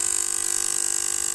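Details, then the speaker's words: Stabilizer 3000W on power-up, relay chattering with a harsh rapid even buzz because its coil supply is too low from a failed electrolytic capacitor; the capacitor is to be replaced, with a 470 µF 50 V part proposed. "tidak bagus suaranya, ini mengganggu telinga gitu ya. Coba kita ganti dulu elkonya gitu rekan-rekan, kita ganti dulu nih ya rekan-rekan ya."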